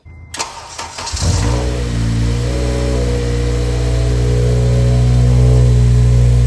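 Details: Honda Civic Si (8th gen FG2/FA5) with freshly swapped JDM K24A RBB 2.4 engine on the factory 2.0 tune, no base map yet: brief crank, catches quickly, settles into a smooth, steady idle that firms up slightly; starts and runs cleanly.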